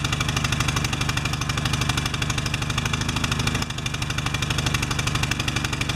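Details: Pressure washer with automatic choke, first start after clogged bolt cleared, new air filter and oil change: small single thumping fast and unevenly, beat wandering and dipping; choke staying on too long after start, bimetal strip later adjusted.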